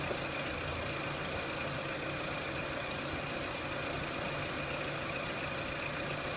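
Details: 2003 Renault Clio 1.6 petrol with an intermittent stalling fault traced to a loose crank sensor connector (sensor good), idling during sensor testing: even, steady hum with no knocks, misses or hunting; normal idle.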